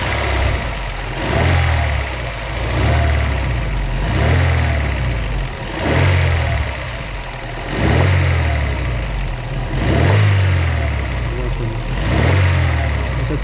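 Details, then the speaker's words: Daewoo Lanos petrol engine, knocking for about two months, worse hot than cold and under load; revved up and down with a dull knock rising on the revs. Crankshaft or connecting rod bearing knock suspected, sump to be removed. Engine knock under revving. "мое предположение что это постукивает коленвал"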